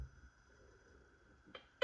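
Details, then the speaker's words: New Garrett Vortex in beach mode: a steady faint tone drops out, then a short tone burst and a loud restart beep. The unit switches itself off and back on, a bug seen only in beach mode. "it does it and it turns right back on for some reason see if it'll do it again"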